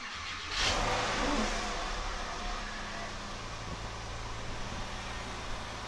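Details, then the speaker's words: Porsche 997 start after replacing coil packs for a misfire check-engine code and clearing codes, in neutral; catches first turn, brief flare, then even steady idle, much smoother than before, no longer pops on starting. "Yeah, idle's way smoother. We'll give it another couple seconds. No, idle's way smoother. It used to have a little bit of a pop when it started."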